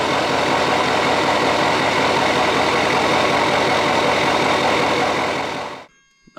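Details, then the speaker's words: Duramax diesel, plugged in and warm, after fixing air getting into the fuel system: it fires right up without needing high idle and settles into an even, steady clatter with no stumble; normal start and idle. "so as you can see fires right up no issues doesn't even need to kick into high idle because it's so warm and toasty and ready to roll"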